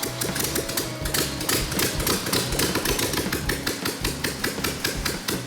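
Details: Steady, even firing pulses with consistent rhythm and no missed beats from the turnkey engine, after the carburetor linkage, fuel pump and oil were checked; healthy and settled.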